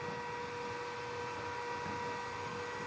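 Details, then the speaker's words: 2.2 kW G-Penny spindle driven by Fuling DZB300 inverter during parameter test run, no cooling fitted: smooth constant mid-pitched hum without rattle, grinding or wavering, quieter than the inverter fan; healthy normal spindle run. "Suaranya sama, kipas inverter lebih berisik daripada ini."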